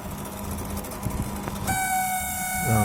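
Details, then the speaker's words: LG MC-7688DP microwave oven: rough clatter, then a sudden loud, steady droning hum from the fan motor; customer says it is loud on first start, not after restart; motor needs greasing or replacement. "ये आवाज़ आता है, इसका कस्टमर का कंप्लेंट है। ये इस मोटर का आवाज़ है। जो आवाज़ आप सुन रहे हैं ये मोटर की वजह से आता है।"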